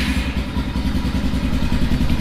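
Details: ATV engine at idle on a relatively cold, room-temperature start with no choke, after carburetor tuning: a fast, even low thump at steady loudness with no misses or hunting, idling smoothly.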